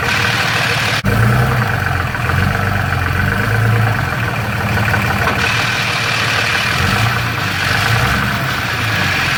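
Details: Dodge Ram 6.7L Cummins diesel with DPC triple disc torque converter, idling: loose busy rattle like marbles in a can; believed normal for the triple disc design.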